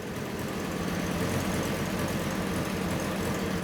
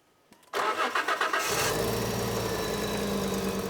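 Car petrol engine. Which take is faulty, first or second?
second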